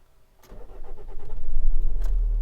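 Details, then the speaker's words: 2006 Nissan X-Trail T30 2.2 dCi diesel with long crank and high idle: with the camshaft sensor unplugged, a brief crank of about a second, then it catches cleanly and settles to a low idle on the crank sensor alone. "so that's a camshaft sensor so it's gonna crank it and it's exactly the same start they've all start without the camshaft believe or not crank it over"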